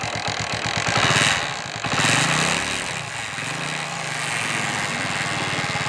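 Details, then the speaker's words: CD Deluxe small single, started then revved into idle: continuous rattly whir over the beat, sounds like a broken spring but isn't; only one gear engages, clutch to be inspected, cause not pinned down. "आप तो देख सकते हैं आप इसमें की आवाज आ रही है और ऐसा लग रहा है कि एक स्प्रिंग टूटी है लेकिन नहीं टूटी है और प्रॉब्लम क्या है कि आवाज कंटिन्यू आ रही है"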